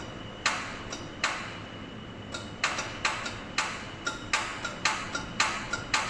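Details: Toyota MR2 on startup attempt: sharp dry uneven clicks about two a second with no cranking behind them; relay chattering, suspected bad connection somewhere.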